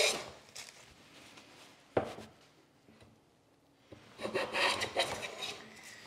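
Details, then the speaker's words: Budget hand plane (Stanley Handyman vs Amazon Basics) with a sharp blade taking a very light pass on hard cherry: uneven rasping that digs in and bounces out. Chatter is suspected from a poorly supported, flexing blade or an unflat sole. "skipping and jumping now i'm trying to determine why this is doing what it's doing it could be that the sole is not flat i suspect the blade is just simply not well supported and it's it's it's flexing"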